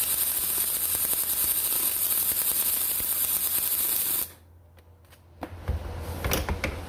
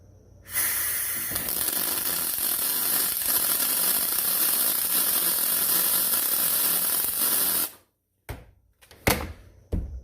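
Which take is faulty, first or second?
first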